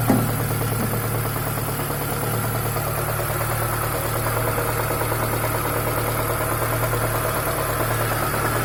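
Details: ZAZ Chance 1.3 at idle: light, fairly even tapping about three per second over the engine hum, a knock somewhere in the engine, cause unknown.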